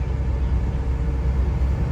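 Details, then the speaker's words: Tata Super Ace Mint common-rail diesel idling evenly after replacing cracked front wheel bearings, brake pads, shorter A/C belt, oil and filter, and repairing speed sensor wire; steady low rumble without knocks, squeals or howls. "อันนี้รถก็วิ่งปกตินะครับ"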